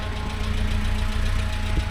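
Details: Talbot Express motorhome with a valve the owner blames for heating and temperature trouble; steady, even engine hum sitting a little quicker than normal tickover; idle set slightly high, owner plans to lower it.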